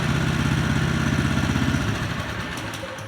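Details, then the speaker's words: Polaris 120 two-stroke snowmobile with new RES6VX remote cutoff, lockout pressed while running: quick even putter cuts out within about a second and fades to silence; normal remote kill-switch shutdown. "Let's see if it works here. Hit the lockout."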